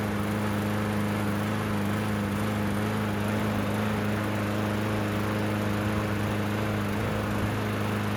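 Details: Yard Machines mower single-cylinder engine after drive cable and blade replacement, air filter oiled and refitted: steady, even drone at constant speed with no misses, knocks or surging; running normally.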